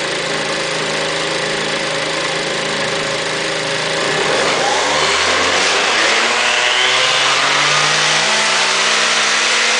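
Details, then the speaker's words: Aprilia SR50 scooter with DiTech direct-injection engine, wide-open-throttle run on a lift table with a fuel-line pressure gauge fitted: revs climb cleanly to a strong even buzz, no cutting out or sudden power loss this time; stand vibration rattle underneath. "you don't actually sound pretty healthy those times I'm not really sure it was falling off and dropping down"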